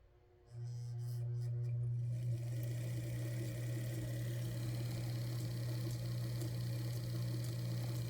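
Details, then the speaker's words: Singer 328K sewing machine motor, nearly fully refurbished, at low speed after the bakelite pedal was adjusted by bending its copper plates back: a smooth, steady low hum as the disc stack is compressed. Slow speed now works, which it did not before. "You'll be able to hear the motor, which is right next to me on this 328K, which I am just about fully done refurbishing. So as I begin to compress those discs, we'll hear the motor."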